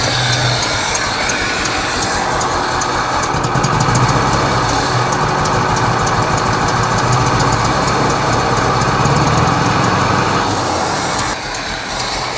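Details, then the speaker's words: 1964 International service truck with a 304 V8 on a retry start. Very slow, lumpy idle with an uneven beat, like a hit-and-miss engine running on about four cylinders and barely staying alive; misfire at very low idle. "almost sounds like a hit and miss motor definitely running on like four cylinders that's got to be the lowest Idol ever"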